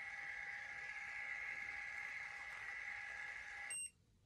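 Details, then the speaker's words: Wireless portable automatic curling iron: steady high electronic tone for nearly four seconds, ending in a short chirp; normal beep signalling the curl is finished. "so your beeps when you stop when the current one is when the curl is finished when I finish curling your hair it beeps"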